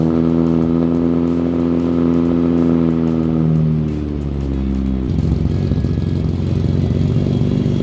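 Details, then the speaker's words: Datsun 280Z cold start in the garage after previous fixes. The engine over-revs to a high, steady rev on starting, then drops and runs rough. This is a prior symptom, now worse than the night before; the cause is unknown to the owner. "So it started and it over revved on start, which is a symptom that we were having before, but now it's like it's worse."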